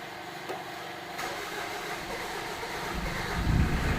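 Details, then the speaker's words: Mitsubishi Pajero diesel after fuel tank no-fuel fix, flat battery boosted: starter churns, then catches to steady clattering tick-over; starts normally. "so yeah just send it all right we'll press the button again and we'll see if I've pumped enough diesel through"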